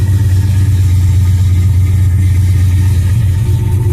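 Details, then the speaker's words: 2002 GMC Sierra, cold start after sitting a couple of days: a deep, steady V8 rumble at cold idle, even and unbroken with no ticks or knocks; sounds healthy. "yeah I haven't started thing up in a couple days let me start it up and I'll give you guys a quick cold start real"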